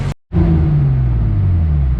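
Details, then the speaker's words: Turbo 3.0L M52 BMW E30 on dyno after retuning idle values, previously stalled when coming off throttle: revs drop smoothly and settle to steady idle without stumbling or stalling, tuner using ignition timing alongside idle control. "Now it actually comes down and settles on the idle and doesn't just hit idle like a wall and shut off."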